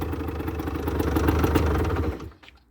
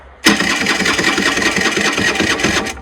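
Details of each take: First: 2008 Rieju Matrix 50cc two-stroke bike, 6,800 km, which previously cranked but wouldn't fire: after a new spark plug it starts hot on the electric start and idles evenly with no misfire. Normal idle; the CDI was not at fault. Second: 2008 Rieju Matrix 50cc water-cooled AM6 two-stroke at 6,800 km, before repair: the starter buzzes steadily for about 2.5 seconds with no firing. Cranks but won't fire; a faulty spark plug was later found to be the cause.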